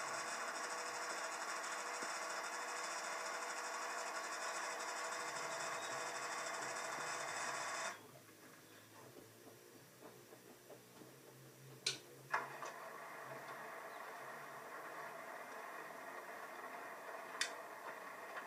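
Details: Washing machine on and off in any cycle: fast harsh mechanical repetitive clatter that stops suddenly then returns more quietly; cause unknown.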